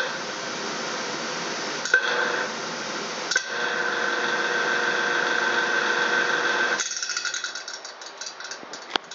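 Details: Down-draft fan found during a home inspection: fan hum with an uneven rattle of three to four hits a second that fades as it spins down; the blades appear to be hitting something.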